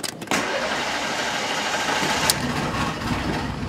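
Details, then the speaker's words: Toyota Corolla 1.8 petrol: brief crank, engine catches, runs rough and uneven, then dies, repeatedly; air-fuel ratio shown around 13. "funcionamento morreu hoje na partida e vai ficar desse jeito pega e morre ó"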